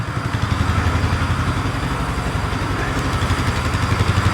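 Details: 2015 Polaris Sportsman 570 EFI, left outside for years and long unrun, idling in the shop: a steady low putter at about four beats a second with no misfires or rattles, with maybe slight smoke. The charging system is checked at idle and reads fine.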